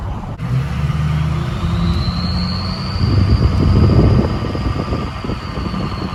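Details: 6.0 Powerstroke King Ranch with a freshly installed KC Stage 2 10-blade VGT turbo doing its relearn at idle: a high whistle climbs and settles as the vanes close and open, then a deeper tone, repeating two or three times over about five minutes. Normal.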